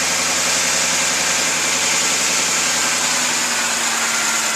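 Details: 2006 Ford F150 idling after replacing pulleys and belt: steady, even idle with smooth hiss and no whine rising over it; earlier whine gone, normal idle.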